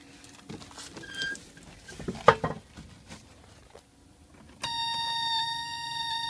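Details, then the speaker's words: 1980 Chevy LUV pickup, sitting for years, vacuum line plugged and anti-dieseling solenoid reconnected. A steady high-pitched whir starts with the key on: the electric fuel pump running. Owner suspects it is sucking air on the fuel side. "I hear the fuel pump running. It's idling better."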